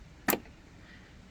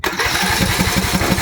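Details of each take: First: Craftsman riding mower, Briggs & Stratton Intek engine: the new fuel shut-off solenoid (model 846639) is plugged in and tested at key-on. Two crisp clicks as the plunger pulls in and releases; this is a working solenoid, before final installation. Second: Craftsman riding mower, Briggs & Stratton Intek engine, died mid-mow and smoked a little: even starter chugging with no firing. No click from the fuel shut-off solenoid at key-on, so it cranks without starting; solenoid failed.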